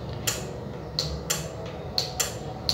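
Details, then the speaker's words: HP ProBook 440 G3 laptop motherboard that won't turn on: a bench power supply injecting voltage clicks sharply and irregularly, about twice a second, from overcurrent protection; a short (a shorted capacitor) dropped the voltage to 0.02 V at 23 mA. "you feel that sound? That clicking sound is a symbol that the motherboard is consuming more current than it should."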